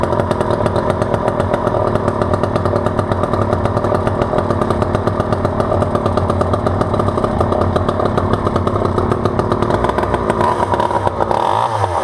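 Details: Vintage all-metal Poulan 2000 chainsaw, sat for years, case recently filled with water, started on choke: steady high-pitched two-stroke buzz at even speed, no stumbling or misfire; running cleanly.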